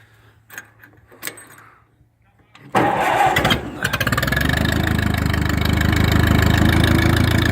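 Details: Massey Harris 22 tractor, very cold, plenty of fuel but fuel line suspected: some clatter then steady starter churn about three and a half beats a second that never catches; cranks but won't start, cause not confirmed.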